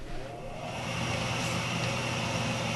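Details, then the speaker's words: Gas-fired forced hot water boiler starting a call for heat: the exhaust draft inducer fan spins up first and settles into a steady, even whoosh with a faint hum before the electronic glow-plug ignition lights the gas; normal startup. "first thing that engages, you can actually hear the exhaust. The exhaust actually is just going on."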